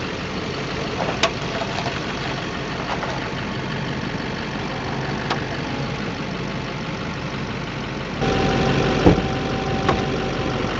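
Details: 2008 Silverado 2500 Duramax idling with sharp isolated pops while steering, after the A-arms, ball joints, tie rods and wheel bearings were replaced. Cured by removing the 4 engine crossmember bolts, cleaning and greasing the threads, and torquing them to spec.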